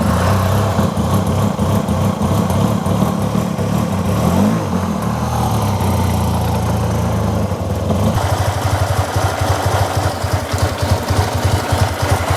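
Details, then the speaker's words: TMAX scooter after sitting, ignition rotor reinstalled and spark plug refitted: uneven stumbling idle that settles into a ragged beat, barely running; rough running, owner suspects clogged fuel injectors. "oh my God it's running barely it seems to be easier to pick up"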